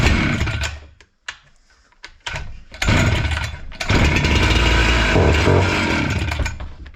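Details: Husqvarna 268 chainsaw that stalled when warm, after servicing with a clogged filter found: a couple of brief pulls and catches, then it fires and holds a strong, steady buzz without stalling; runs normally.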